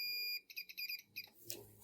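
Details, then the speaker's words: Singer mixer grinder power input checked with multimeter continuity: steady high beep then short chirps as probes touch; both conductors show continuity, OK. "ঠিক আছে। বাজার আসছে। অন্যটা দেখব। এটাও ঠিক আছে।"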